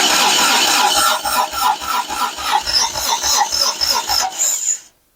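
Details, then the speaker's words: 1990 Toyota truck compression test at spark plug hole: even cranking chug at about three and a half beats a second; cylinder reads about 65 psi, should be around 120, retest planned. "So, as you can see, >> that's sitting around 65. >> 65. >> Yes. >> What should it be at? >> Should be around 120."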